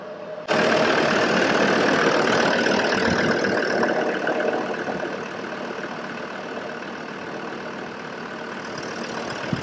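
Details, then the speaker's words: TD5 diesel swapped into a Land Rover Discovery 3 with 6-speed manual, first start after fitting an extra 4–5 bar fuel pump and bleeding: catches straight away, settles into even, steady idle clatter, no misses; healthy. "Alright, so fuel pump is fitted, or the extra one, so let's see what happens. You can hear it. Nice."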